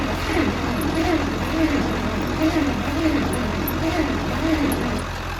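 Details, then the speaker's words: Bantam truck crane engine, sat in a quarry for years, cranking on jumper cables: starter turns steadily and slowly with faint catches but never starts despite choke, throttle, carb cleaner and hand choking. "So freaking close to lighting off. You can hear, but it just doesn't want to go no matter what I do with the choke, throttle, carb cleaner, hand choking it. No matter what, it's just not happy."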